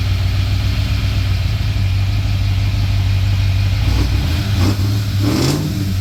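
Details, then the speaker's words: Ford EB Falcon XR8 302 Windsor V8 after a coolant leak repair: a deep, even idle and throttle blips that rise and fall cleanly with a faint stumble, running healthy; owner thinks the stumble is from residual coolant. "Well, pretty happy with that. Lives nice, sounds good."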